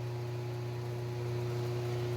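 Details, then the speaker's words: 1995 Harbor Breeze Summit ceiling fan with lit motor housing running at medium speed, the loudest setting: steady low hum with strong drone and faint buzz; heavy vibration felt through the tripod, bulb filaments shaking, quieter at lower speeds. "but it gets easier the slower it gets and medium is the loudest speed [Music] it vibrates a whole bunch every part of the same vibrating"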